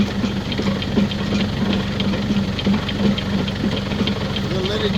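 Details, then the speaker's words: Woodland Mills WG24 three-point stump grinder (bought used) run off the tractor PTO, lifted for a test spin: steady even hum from the spinning grinder like a big flywheel, no wobble or knocking; running smooth. "sounds good don't it you see how there's no wobble in that like a big old flywheel"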